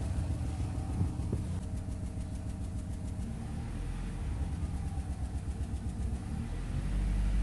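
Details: 2008 Nissan Rogue with check engine light and possible misfire code P0300: low, uneven idle rumble with a loose irregular pulse and light rattle underneath. Rough idle, worse in low gear; misfire suspected, cause undiagnosed.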